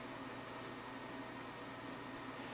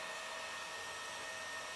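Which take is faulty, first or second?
second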